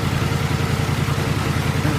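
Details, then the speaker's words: Small single-cylinder mower engine in a mudding mower, governor still connected with zip-tied spring for higher rpm; slightly uneven pulsing idle; runs fairly decent but needs more carburetor work; rough idle. "Runs fairly decent. It needs a little bit more carburetor work in it."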